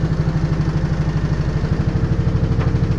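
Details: LG washing machine on spin: heavy low thumping about three times a second as the drum slams around, machine shaking and walking; worn-out shock absorbers.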